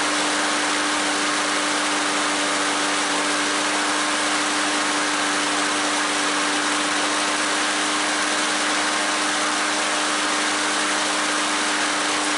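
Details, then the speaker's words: Troy-Bilt lawn mower, 2010 Briggs & Stratton 6.75 auto-choke engine, after replacing the broken carburetor throttle shaft and the missing auto-choke spring and fitting a new air filter: starts first pull, steady even run with no misses or surging. "so with that being said we've got the troy bilt going new throttle shaft and a spring for the auto choke luckily I had one and the balm I like I said but anyway guys good repair runs great see you on the next video definitely"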